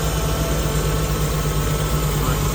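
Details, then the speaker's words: Jeep six-cylinder, head gasket and pushrods redone in 2019: rough idle with quick, even tapping at a steady beat, no blow-by; owner suspects a slightly loose rocker arm, also possible PCV or vacuum leaks; unconfirmed. "so I've got a feeling that maybe one of those rocker arms are just a little bit loose"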